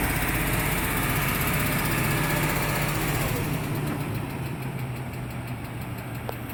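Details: 2003 Range Rover HSE with the 4.4L BMW M62TUB44 V8, possibly a little low on oil: an even idle with a quick tick around four per second, source unknown. The sound later went away on its own.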